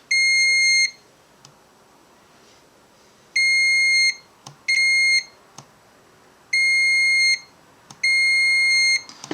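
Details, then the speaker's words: Yashica Electro 35 GSN manual shutter-speed mod: multimeter continuity check of solder joints and shutter-button spring contact, five clear high beeps as contact is made and released; continuity good, contact intact. "and then just check to make sure that your solder joints are connected that's working"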